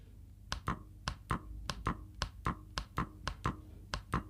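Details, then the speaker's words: Fully automatic washing machine inlet solenoid valve bench-tested on a 12 V DC adapter, mic held at the valve: crisp paired clicks about every 0.6 seconds as power is applied, showing the valve opens normally. "तो I hope आपको इस solenoid valve के खुलने की आवाज सुनाई दे रही होगी तो आप कुछ इस प्रकार से इस सोलेनाइड वाल्व को चेक कर सकते हैं"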